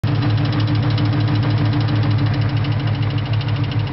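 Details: 2001 Mustang Cobra that developed a click: quick regular clicking about three per second over steady idle; owner suspects the throwout bearing, unconfirmed.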